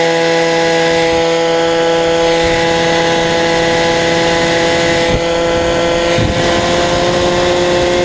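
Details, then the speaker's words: Peugeot 103 custom, full Malossi two-stroke, Doppler Endura crank, rich carb for break-in: screaming near-steady high revs with a brief dip and wobble as over-lightened clutch shoes let the clutch disengage and slip; clutch springs awaited. "On est beaucoup trop léger, du coup, ben, au bout d'un moment, il ferme plus et t'entends que Ah ok, parce c'est que ça. tu vois, ça débraye."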